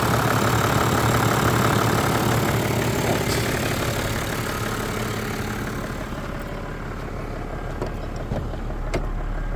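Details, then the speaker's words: Toyota Land Cruiser 100 Series with 1HD-FTE turbo diesel, first start after blind purchase: steady diesel idle, even beat of three to four pulses a second, no knocks or misses, no smoke, purring; normal idle. "No smoke at all. You can hear it purring. Perfect."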